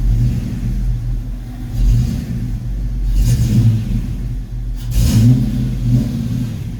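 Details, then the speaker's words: Ford Fox-body Mustang after distributor swap, timing only roughly set before checking with timing gun: uneven, lumpy low idle that surges and sags, still running rough; ignition timing well off. "still running rough to me"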